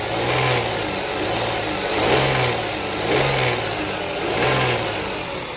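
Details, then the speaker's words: 2002 Toyota Sienna, 160k miles, petrol engine blipped four times; a light rattle from the top of the engine that occurs only when revved, rising with each rev; cause unknown, owner asking. "Hey everybody, this is 2002 Toyota Sienna, and it's got a rattling noise that's coming from. It sounds like it's coming from the top of the engine."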